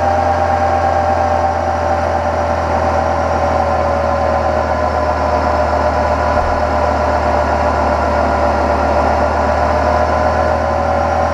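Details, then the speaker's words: Kubota B7100 diesel tractor driving NorthStar 7200 W PTO generator, load raised past about 3400 W toward 4000 W: steady diesel drone sags in pitch, engine lugging and struggling near its limit. "now it's struggling I can hear it so I could pretty much measure the actual max horsepower of the tractor if I keep taking this up to where it fails"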